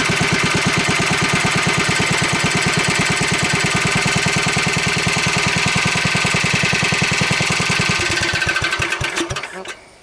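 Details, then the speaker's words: Wheel Horse 753 garden tractor, electric start being refitted: fast steady engine beat with rough clattery mechanical noise until shutdown, seeming to get worse; source not identified. "Let me see what that noise is. Seems like it's getting worse."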